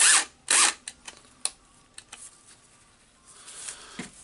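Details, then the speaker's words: Makita cordless drill (DHP458) bought for repair, running with carbon brush pressed by hand: motor catches in short uneven bursts and drops out, electronic brake works; poor carbon brush contact, brush holder overheated. "really not going normally. Okay, you can see that the electronic brake is working, so we know that this is the contact problem."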